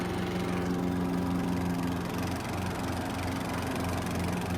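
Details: Riding lawn mower test run after a fix, blades engaged: steady, even engine hum with a smooth low beat and blade drone on top; runs cleanly under deck load, sounds healthy.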